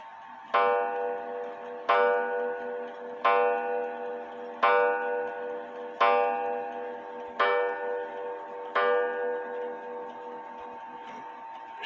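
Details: H.Th. Mylius German regulator wall clock, date unknown (guessed 1920s/30s), repaired after falling, put back in beat: seven clear, ringing gong strokes about a second and a half apart, each decaying evenly; a clean, healthy hour strike.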